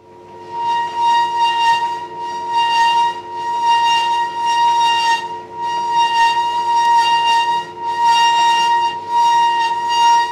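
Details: Roughly 10-year-old Hotpoint tumble dryer: a loud high-pitched screech pulsing about every three seconds as the drum turns, from the rear drum shaft wearing down its bearing plate/support under the drum's weight.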